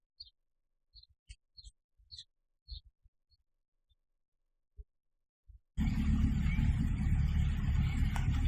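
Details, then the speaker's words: 1989/90 Chevrolet Monza SL/E after camshaft, rockers and hydraulic lifters replaced to cure top-end noise: warm engine at idle, not revved, settles smooth and even after light clicks, no tapping; normal idle, noise solved. "pode notar já não escuta mais o barulho de uma ligada nele a aquecida não acelerei somente utilizei o jogador vai esquentando"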